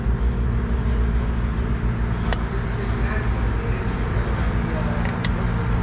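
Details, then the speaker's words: Replacement EVAP vent solenoid commanded open and closed by scan tool over the running engine: two crisp clicks about three seconds apart, switching firmly, with clearer feedback than the previously installed unit. "okay that's good yeah I can feel it and I can hear it and the audible feedback is uh much more positive than the other unit that was installed"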